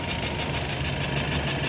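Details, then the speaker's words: Ford Taurus petrol engine idling with a lumpy, uneven, stumbling thrum and strong vibration, check engine light on: misfire from a defective spark plug. "So may check engine. Ayan. Nakacheck engine palyado siya yun oh napakapalyado makina oh"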